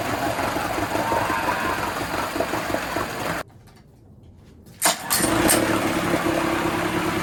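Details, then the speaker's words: 1980s Honda BL100 four-stroke outboard rescued from trash, after replacing fuel lines: runs rough, cuts out, restarts and surges; owner suspects it needs a carburetor clean. "But you also heard it cut out and it's I tried to start it again and it's surging. So, I'm hoping it's just going to need to be a carb clean."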